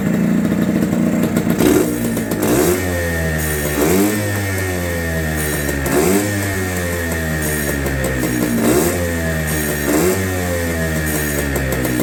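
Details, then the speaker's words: Barn-find TS250 two-stroke running with repeated throttle blips: crisp running with almost no piston noise and no rattle or piston slap underneath. Normal running. "it's running and it sounds great I mean I don't know if you can hear it but there's almost no piston noise almost just like not at all that is so cool"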